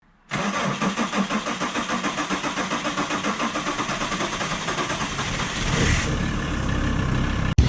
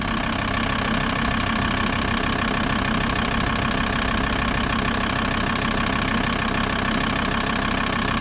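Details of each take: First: VW T4 Transporter 2.5 TDI AJT/ACV five-cylinder diesel with original Stanadyne injectors: a long run of steady cranking pulses, about five seconds or a dozen cranks, before it catches. Starting has got progressively slower, with no fault codes and timing set, so the injectors are blamed. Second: VW T4 Transporter 2.5 TDI AJT/ACV five-cylinder diesel right after fitting primed Bosch ACV injectors in place of Stanadyne ones: it started immediately, and a steady, even idle clatter follows with no stumble or hunting.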